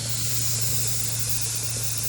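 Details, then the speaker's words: 2006–11 Honda Civic after overheating: a loud, steady hiss and bubbling of escaping steam with no engine rhythm, with smoke and condensation visible. It sounds like coolant boiling off; the owner will check the coolant, and a built head is planned. "it sounds like something it sounds bubbling i wanted can see condensation and all that"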